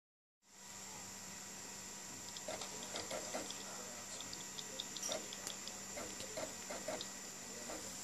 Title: Ps3 slim making weird noise from disk drive !